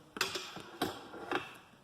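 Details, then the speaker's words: Taotao TBR7 250 turn signals after cutting off the beeping speaker wire: crisp, regular flasher clicks about every half second with no beeping, lights working normally. "We'll see if it keeps on working. And there you go. Works perfect. Lights are working."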